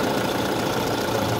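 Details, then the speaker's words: Kia Soul after drive belt replacement, checked from underneath: a steady idle with a smooth hum and no squeal or chirp from the belt drive; the noise is gone. "review natin kung okay na lahat. So, sa ilalim, yun, okay na mga boss, wala nang ingay."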